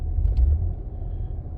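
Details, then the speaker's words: 2005 Acura TL at idle, which also has a tach that bounces while driving: a low, lumpy, stumbling idle with no steady rhythm. An obvious misfire and climbing misfire count, yet no cylinder identified; running at 78% duty cycle, cause unknown. "I mean it's running like complete crap sounds like my voice right now basically crap"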